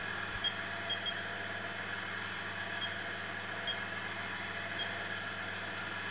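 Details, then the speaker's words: VF1 spindle gearbox after rework, shifting into high gear at 2500 RPM, not yet fully warmed up, covers off: smooth even mid-pitched hum with faint high tone, quiet gear change, no knocking or grinding; normal high-gear running. "so let's just go to 2500 which is going to put us into high gear so lovely gear change nice and quiet"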